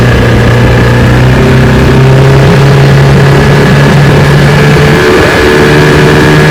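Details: Restored 1985 Johnson 6 hp outboard (J6RCOB) on lake test run; steady, even light buzzy beat with no knocks or misses, sounds healthy.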